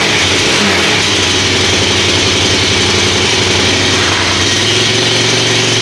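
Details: Kawasaki KFX400 single-cylinder quad after a wet winter outdoors and service with new carburetor, cable and oil change, choked: fast steady warm-up idle with heavy hiss on top, no knocks or stumbles; running fine.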